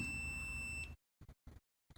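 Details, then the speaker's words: Multimeter on continuity across a computer mouse left-click micro-switch's solder points gives a steady high beep for about a second, then cuts out; the switch contacts show continuity. "Now we want to be on continuity, and when you have a continuous circuit, it lets out a beep, so you know that's the case."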